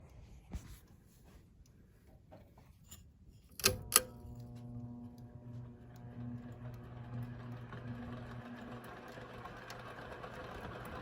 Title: A perfect example of very bad bearings